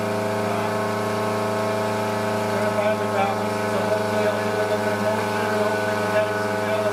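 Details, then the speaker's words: RC Coroplast delta wing held by hand with a Mobius camera, no dampening mount: constant loud high buzzing drone with a harsh, gritty edge at steady throttle; motor suspected to be badly out of balance causing excessive vibration. "you can hear how loud that is that's a pry good sign that the the motor itself is very badly"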